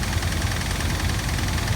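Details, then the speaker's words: 2007 Dodge Ram 1500 Hemi, replacement engine with 68,000 miles fitted three months earlier, noise began the day before, at the dealership: deep heavy knocking at idle, low in the block; technician suspects rod bearings or crankshaft, bottom-end knock. "He said that the noise is coming from the bottom part of the engine. And he believes it's either the bearing rods or the crankshaft."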